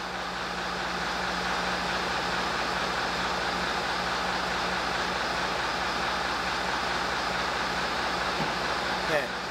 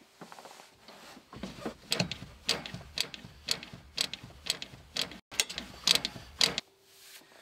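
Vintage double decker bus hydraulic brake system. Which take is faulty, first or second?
second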